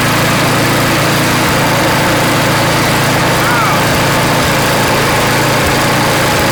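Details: Craftsman snow blower (customer's) after cleaning and reassembly with a replaced seat: small single-cylinder engine holds a steady, even beat with no misses or surging, so it runs smoothly.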